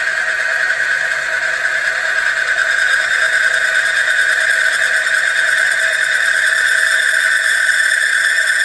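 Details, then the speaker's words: Bearing friction test rig, Mobil 1 oil baseline without Runwell additive, weights added to the loaded bearing and motor: steady high-pitched squeal with gritty edge; loaded bearing friction noise. "You can really hear the noise. That's the friction."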